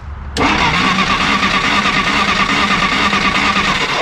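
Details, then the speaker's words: 1953 Willys Jeep CJ-3B, battery 12.2 V; starter spins the engine steadily about four seconds but it never catches; test light shows no spark, ignition circuit to be traced. "no sparky sparky that's interesting okay that we can trace"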